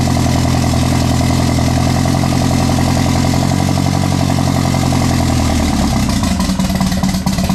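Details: Mk1 Rabbit with an ABA turbo engine and a DQ250 DSG swap, running on E85, started after grounding the coil: steady, even low beat that settles lower with no misfire or knock; normal idle.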